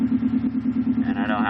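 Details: 2005 Subaru WRX STI cold-start rough idle, low hum pulsing unevenly, happens every cold start, began after installing a Grimmspeed air-oil separator; ECU reader showed it adding too much fuel, owner suspects a vacuum leak from the install.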